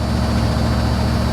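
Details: 1982 Chevy Camaro Z28 Crossfire Injection V8, just started, not cold day: steady even low rumble without knocks or misses, idling high around 1800 to 2100 rpm; otherwise healthy idle.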